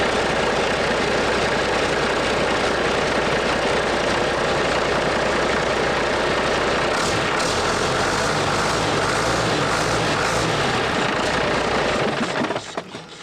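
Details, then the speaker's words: International DT466 NGD diesel, freshly rebuilt: steady, even diesel clatter with no knocking, firing and running cleanly until shutdown; return hose not yet fitted; sounds good, normal engine run. "Nice. Got better. Oh, I love it when a plan comes together. That sounds good. No knocking."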